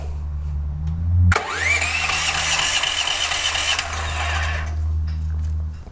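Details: DuroMax XP13000HXT tri-fuel generator on gasoline with choke and fuel valve on, after oil top-off and air filter reinstall: starter whirs to a high steady whine for about three seconds and winds down without firing; cranks but won't start, suspected bad gas in carb.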